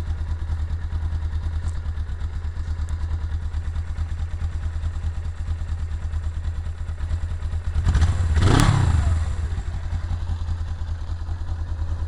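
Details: 1999 Suzuki GS500E twin at idle with a loose, uneven low clatter, then a quick rev and settle back. Engine noise is present, but the cause is unclear.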